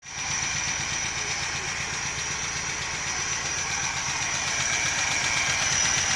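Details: Nissan NP200 after replacing one pulley in the belt system; a steady high-pitched whistle over a busy idle with quick regular ticking about four per second; abnormal engine noise, cause unclear.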